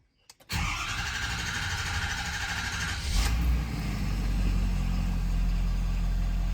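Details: 2011–2016 Ford 6.7 Powerstroke diesel after fuel filter replacement and six key-on priming cycles; short crank, catches at once into steady even idle, no stumble or misfire.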